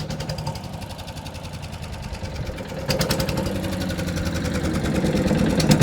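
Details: Wood chipper small single-cylinder engine after fuel tank bolted on tight to reduce rattle: chugging unevenly at fast idle, then picking up, with some rattly clatter still mixed in.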